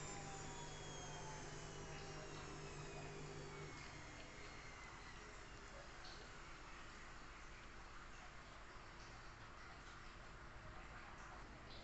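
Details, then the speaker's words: Lux WH 263i-1 washing machine on spin after replacing worn, damaged drum bearings: fast smooth whoosh and low steady hum, no rumble or grinding; previously rough-sounding. Repair successful. "terdengar suaranya halus menandakan pekerjaan kita dari awal melakukan proses penggantian bearing room bisa dikatakan berhasil sukses"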